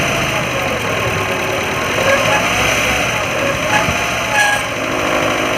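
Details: Maruti Gypsy Euro 3 petrol idling with steady rough whirring hiss over the engine from a damaged water pump bearing.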